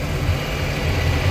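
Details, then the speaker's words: Volvo Penta engine in a Regal boat, after a leaking fuel injector was fixed and exhaust fitted, idling on the lift after a run: deep even rumble, firing on all cylinders, no exhaust leaks, fluid levels good. Normal idle. "all right we've got no exhaust leaks everything looks dry definitely sounds like she's firing in all cylinders little levels are good"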